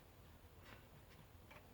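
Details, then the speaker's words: GE top-load washer: pressing start gives only faint sharp relay clicks from the control panel relays and it never starts; owner first suspected the control panel, fault traced to a failed lid switch. "all of a sudden after pressing the start button to a cycle there was only a clicking noise coming from in there"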